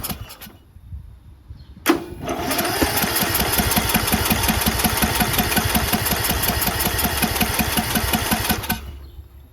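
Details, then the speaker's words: Briggs 19.5HP engine on a John Deere LA110 lawn tractor, fuel pump confirmed working, possibly flooded: steady starter churning near three strokes a second for several seconds, never catches; fuel in the bowl not rising up the emulsion, dirty carburetor. "So, it means that fuel is in the bowl, but it's not going up the emulsion, which means carburetor is dirty."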